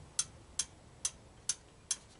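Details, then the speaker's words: Honda ATC200M three-wheeler being revived from non-running, engine turned over in a quiet room: five crisp, light ticks about every half second as the exhaust valve slaps and the intake valve lash is loose; excessive valve clearance. "So, we know the exhaust valve is slapping, which means it's loose enough to close. Now for the intake. The intake's loose."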